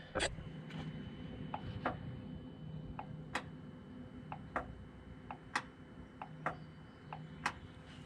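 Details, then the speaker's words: 2009 GMC Sierra with a P0442 small EVAP leak code: sharp, separate clicks about once a second over a quiet idle as the scan tool commands the vent solenoid on and off. Solenoid clicking normally; a leak may still exist. "he hear that clicking which means the vent valve which means the vent valve should be working"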